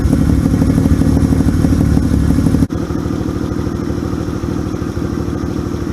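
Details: 1978 Yamaha XS750 Special revived after 22 days of corrections, choke on, kick-started; fast, crisp exhaust pulses at steady rate with brief recovering dip; old four-stroke running cleanly.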